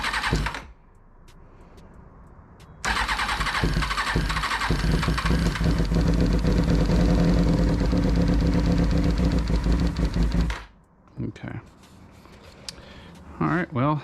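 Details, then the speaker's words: 2000 Kawasaki ZX6R (carbureted) being rebuilt cranks steadily about eight seconds on starter fluid, no catch or backfire; ignition judged fine, no fuel seen from pump, owner suspects fuel flow issue, possibly failed fuel pump. "least I know the ignition is working fine it is going to be a fuel flow issue"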